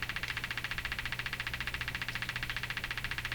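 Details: Hammarlund HQ-180 receiver motorboating: steady putt-putt pulsing about twice a second over a faint hum, a low-frequency audio oscillation; the product detector is being checked next.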